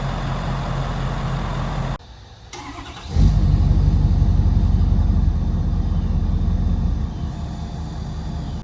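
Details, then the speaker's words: 2016 Ford 6.7 Powerstroke diesel after sitting outdoors for months, jump-started from another truck: cranks briefly, catches and settles into a steady even diesel idle with no knocks or misses; normal start and idle. "well the 6.7 fired right up after a little help from the dodge"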